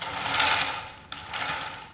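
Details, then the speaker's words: Homemade wooden flat thrust bearing with a 5/8" trough, run on slightly larger yellow 9/16" glass marbles: race clears the cage, but out-of-round marbles give a gritty, rumbling, uneven rough roll that swells and fades. "they're a little bigger in diameter and the race is not touching the cave still they're not round and it runs rough"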